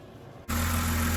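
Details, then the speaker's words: BMW E90 that would not start with code P0300 and low compression, caused by loose bearing cap bolts under the valve cover. After tightening, the engine fires instantly and holds a smooth, even idle with no check engine light: normal idle after repair. "that's it guys as you guys can hear e90 is running smoothly again no issues no check light or nothing like that is in the back"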